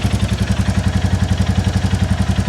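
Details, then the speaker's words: 2022 Royal Enfield Classic 350 Reborn after quick valve adjustment, exhaust blow covered, very low on fuel: even single-cylinder thump around eleven beats a second with only faint light tick; healthy, normal idle. "and it's not making me think oh that's a noisy engine obviously there is still a TA it sound B in the context of the bitee I think it sounds quite [Music] normal"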